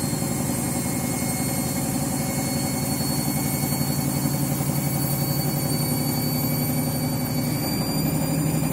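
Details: Washing machine on its final rinse and spin, very sudsy load: steady heavy roar with a droning hum that climbs slightly near the end; the spin runs much louder than it should.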